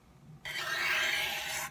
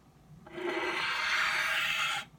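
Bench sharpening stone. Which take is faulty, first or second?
first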